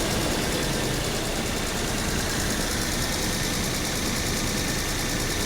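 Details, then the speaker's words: 2007 VW Passat, hail-damaged salvage car, heard under the hood. Steady, even idle with no knocks, stumble or shake. No misfire heard right now. "it seems to be running just fine and the engine does not seem to be vibrating"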